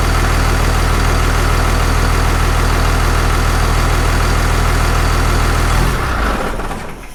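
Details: 6.7 Cummins diesel idling right after installing a Fleece 10mm stroker CP3 injection pump; no leaks seen. Deep, even diesel clatter at about four beats a second with no misses or knocks, then a clean shutdown. Normal idle.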